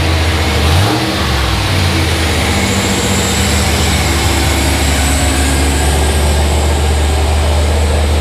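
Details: Turbo 5.3 LS (L33) V8 in an S10 truck, first official start after swap, new NGK plugs: catches, blips up briefly, then settles into a steady, even idle with no knocks or ticks; runs clean.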